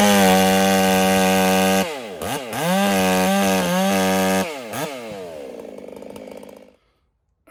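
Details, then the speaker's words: Ported Husqvarna 385 chainsaw during break-in, warmed a minute and run through two cuts: screams at full throttle, then burbles unevenly as revs fall, running rich; taken as a sign the rings are seating, so the carburetor will be leaned. "I gave it a minute to warm up, and I just went after those 2 cuts, and she's running fat. So that's a sign that the rings are really starting to seat."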